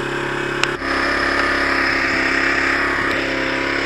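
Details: Zontes Tiger 125cc Chinese single-cylinder motorcycle, bought as a non-runner, now running with the anti-theft part removed: revs and holds a raspy, mostly steady run but stumbles briefly a couple of times; uneven fuelling suspected, not confirmed.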